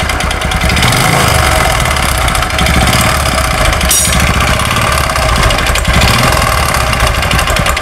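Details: Honda Supra X 125 carbureted motorcycle engine: a harsh, loud, continuous clattering rattle, worse when revved; mechanic suspects two knocks.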